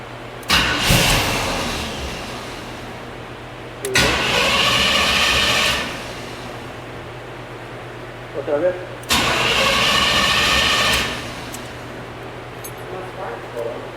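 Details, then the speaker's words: Fire-damaged 1984 Chevy C10 cranking but not starting, only one spark then none; three roughly two-second cranking bursts, engine turns over evenly but never catches; ignition module suspected, replacement fitted afterward. "And we got like one spark and then it stopped. So it was wanting to start, it wouldn't start. So what we did, we went and got a ignition module."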